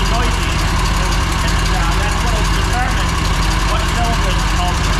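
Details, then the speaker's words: Mower that made a racket and lost power while mowing. Loud steady low idle with a fast sewing-machine clatter on top, louder on one cylinder under a stethoscope: valve ticking. "so as you guys can tell that's not a normal noise I'm just Ed that's that's not a good noise sounds sounds like a sewing machine definitely sounds like a Val ISU already"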